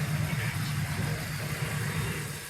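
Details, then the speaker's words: BMW E46 idling after a DIY AC refrigerant recharge, coolant at 155: steady low hum with the compressor staying engaged and not cycling, air ice cold. Normal AC compressor running. "AC is on. Stays on the compressor. And it's ice cold now."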